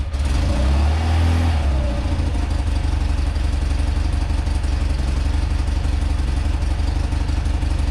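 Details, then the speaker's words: Rare motorcycle, boxer twin, first run after carb bowl refitted and fuel flow restored, on full choke: steady, even beat that picks up cleanly on a throttle blip and settles back; normal idle and revving. "really good like that nice that's all i wanted all i wanted to do is hear it run hear it you know rev up a little bit"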